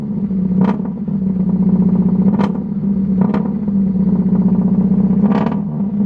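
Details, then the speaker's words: Honda with what appears to be a D16Y8 VTEC engine, started up after purchase: a low, uneven chugging idle with loose clattery bursts. It sounds a little rowdy, cause unknown. "yeah sounds a little rowdy huh"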